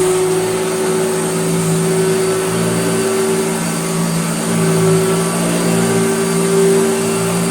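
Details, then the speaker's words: Vintage Hoover Dirtsearcher Junior vacuum after restoration, bent armature replaced with new pattern armature: steady, even motor hum of constant pitch with no rubbing or rattling; previously vibrated badly. Motor runs normally after repair. "that turned out to be the whole armature the whole embouchure was bent so this is have a brand new it's a pattern part but a brand new armature listen to it now"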